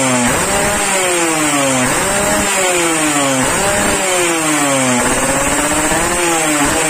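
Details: Yamaha RX King two-stroke, warmed up after daily carburetor tuning with a pilot jet of 30-35, exhaust test: crisp revs climbing and dropping about every 1.5 seconds with clean pickup and no misfire. The tuned engine sounds healthy.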